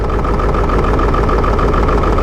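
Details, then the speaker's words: Ford 7.3 Powerstroke diesel, shaky choppy idle that never smooths even when fully warmed; blow-by not bad: loud clatter with uneven shaky low pulse. Rough idle, needs injectors. "shaky never goes away and the truck forms all the way up you don't want that truck it's going to need injectors"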